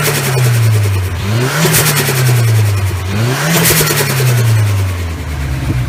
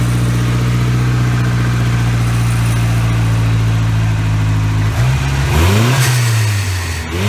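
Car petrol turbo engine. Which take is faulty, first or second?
first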